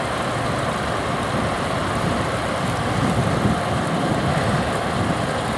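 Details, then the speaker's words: Belt-driven exhaust fan after replacing its 0.25 HP motor, 3L340 belt at set tension, first run; amp draw near upper end of 5.4 A service factor; steady whoosh with constant low rumble, no knocks or chirp, running smooth; normal fan operation. "overall the operation looks pretty good it looks like it's running pretty smooth"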